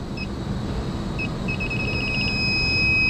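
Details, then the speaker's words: York rooftop unit, one of two circuits down, pressurized to 200 psi nitrogen with refrigerant tracer: electronic leak detector's high beeps speed up into a solid tone over unit hum near the coil; refrigerant leak detected. "I got my infocon techmate electronic leak detector oh it's already going"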